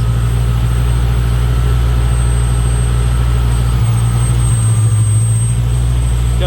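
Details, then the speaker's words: Lexus LS400 1UZ-FE V8 just after spark plug replacement, with Sea Foam put in the cylinders. Smoking heavily, it idles cold with a low, uneven, lumpy, stumbling beat. Owner expects misfire-like running until it reaches operating temperature and burns the Sea Foam off. "like crap for a little while it's gonna act like it's got a little mist in it and all that because of all the sea foam that was in the system"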